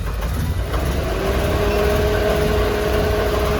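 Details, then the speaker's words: 2010 Chevy Monza with MAP P0106 (a new MAP sensor didn't help) and TPS codes: an uneven, hunting idle with a wavering tone, which steadies when the MAP vacuum line is disconnected. A sensor or throttle-signal fault is suspected, not confirmed. "voy a desconectar el vacío del sensor ver cómo se estabiliza es subir la el vacío estabiliza el motor"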